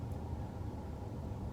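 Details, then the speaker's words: 2015 Ford/Lincoln 3.5L EcoBoost V6 with a misfire (P0236) still idling rough after a replacement sensor was fitted; low uneven lumpy idle rumble, the owner says it still runs like garbage despite the repair attempts. "But yep, it didn't work. Car's still running like garbage. I'm frustrated."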